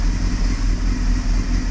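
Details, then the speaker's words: 1998 Honda CBR600, slow to fire, carbs possibly needing sync: low, steady idle with an uneven, lumpy beat and small dips; rough idle, owner suspects lean condition, smooths slightly with a touch of choke. "so it runs but it has a little bit of roughness to it and I think that is because of a lean"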